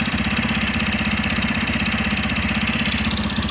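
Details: 2025 Yamaha FZ15 single-cylinder, 746 km and about six months old, warm idle: fast, even tick over the exhaust beat, worse once hot; owner unsure if normal, wonders about valves.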